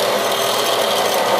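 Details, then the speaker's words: Ceiling bathroom exhaust fan, long noisy, once cleaned: steady rough whooshing rasp; still noisy after a flap was removed, maybe slightly better, exact source in the housing unclear. "let me turn it on I'm not sure if it's any better"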